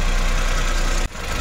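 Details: Suzuki Every Wagon with hard hot starting and RPM fluctuation, after checking fuel system (okay): cold engine on a slightly raised fast idle, cold indicator still lit, steady smooth low hum with no knocks or stumbles.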